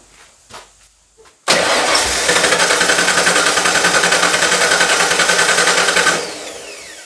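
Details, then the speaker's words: 1995 Ford F-150 shell with V8 drivetrain swapped from a 1996 F-150, first start attempt with dry fuel lines: steady fast cranking that never catches; fuel pump heard cycling, air in fuel lines suspected, safety switch bypassed next. "Sounds like it's trying. Fuel line should be connected. I did hear the pump cycle."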